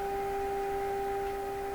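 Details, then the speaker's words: Stromberg Carlson 561 tube radio after replacing last wax capacitors, fed a 400 Hz signal-generator tone: on stronger signal the tone has a hard, slightly buzzy edge instead of pure note, distortion in the audio chain. "we're a stronger signal sounds a little hard edged to me"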